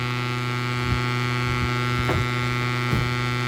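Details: Bridge SB-3500 DP amplifier under repair: a loud, steady low hum with a buzzy edge and no change in pitch, mains hum coming through the output.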